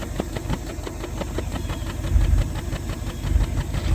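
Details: 1988 Bentley Eight V8 at idle, recorded at the tailpipe with a hand near its end: low, slightly lumpy idle with irregular puffs and pops. Suspected misfire in one or more cylinders.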